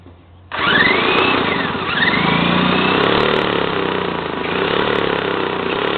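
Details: 1977 JCPenney Pinto two-stroke moped, sat about 8 years, run on a Briggs & Stratton lawnmower carburetor with oil mixed in, on flat tires: catches at once, then a raspy buzz with throttle blips, pulling cleanly; runs normally.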